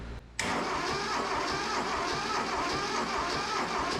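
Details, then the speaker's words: Neglected, rusted Mitsubishi MT372 diesel tractor, long sitting: starter spins the engine at a steady, even rhythm but it never fires; cranks but no start, owner suspects fuel not yet pumped up and plans to keep pumping. "She turns over, so that's cool. Heck yeah."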